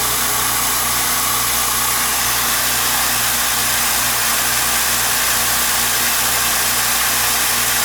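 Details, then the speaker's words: California Air Tool compressor after home repair of a factory defect that failed it at about five hours of runtime: steady even hiss-and-hum, no knocking, rattling or straining, quietly building pressure; repair successful. "can hear it is a quiet compressor pressure is building up i'm going to call that a win"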